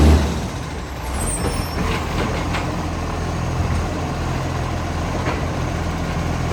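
Deep steady diesel idle with a rough, chuffing low rumble under the truck noise, consistent with a large exhaust leak.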